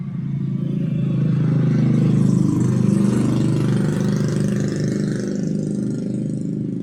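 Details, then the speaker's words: Rouser 135 motorcycle after top overhaul with new cylinder block set, previously noisy, smoky and misfiring; steady even low single-cylinder putter at idle, no ticking or knocking, no smoke, quiet and healthy. "Umaandar na siya, maganda yung andar. Ayan, umaandar na. At wala nang usok."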